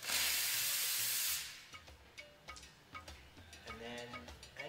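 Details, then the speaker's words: Espresso steam wand texturing milk, tip about 0.5 cm below the surface after purging. A loud, even purge hiss, then quieter hissing and gurgling as air is drawn into the milk. Normal steaming. "then you'll hear that that sloping and hissing sound that indicates air is going into your milk"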